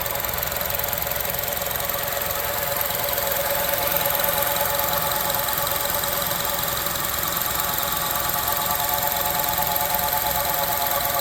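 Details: 2006 Honda CR-V with engine running: a steady, even hum at one pitch, neither rising nor falling; owner cannot tell where the humming noise comes from.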